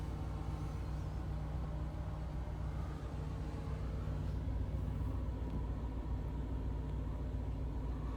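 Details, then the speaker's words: Mercedes 500SL R129 with M119 V8, cold start after sitting over a month, about 60°F: low, slightly uneven rumble; idle a bit lumpy, expected to smooth out. "wow and there's gas in it cool little it's a little lumpy it'll straighten itself out"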